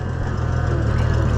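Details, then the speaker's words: Oliver 1650 tractor on a test lap after a governor repair, with gauges not working: a steady, firm low engine note that picks up cleanly with no hunting or surging. The governor is doing its job. "Yeah, listen to it, it even picks up there. That's good."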